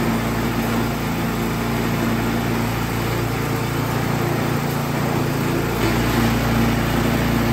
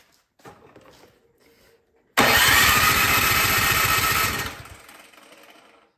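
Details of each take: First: Troy-Bilt Storm 2665 snowblower that sat all summer with gas in it and would not start. After repair and reassembly, its small single-cylinder engine hums at steady speed with an even beat, no surging or misses. Runs healthy. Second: Troy-Bilt Storm 2665 snowblower left all summer with gas in it, choke on, primed, spark plug back in with starting fluid in the cylinder: about two seconds of steady cranking with no firing, then it winds down; owner suspects a clogged carburetor from bad gas.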